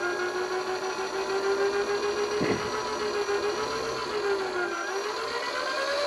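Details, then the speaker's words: DC motor driven by a 250 W PWM speed controller (MOSFET, rated 9-50 V) supplied at 12 V: steady tonal whine rising and dipping as the throttle is worked, no grinding or rattle; the whine is the PWM switching frequency, normal. "ลองฟังเสียงบางตัวก็จะมีเสียงมาตัวไม่มีเสียงนะครับขึ้นอยู่กับการออกแบบคือผลิตความถี่นะครับเสียงทีวีนั่นก็คือความถี่นะครับ"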